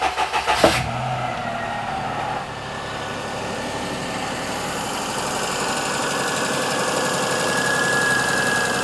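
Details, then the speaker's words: 2004 Perodua Kenari after a timing belt change, only the alternator belt fitted and no power steering belt: quick catch to a smooth idle with no whine, suggesting the old whine came from a tired belt or the power steering pump. "sounds nice and peaceful which would suggest that the horrible wine Desmond has was either that very tired belt or it's the power steering pump"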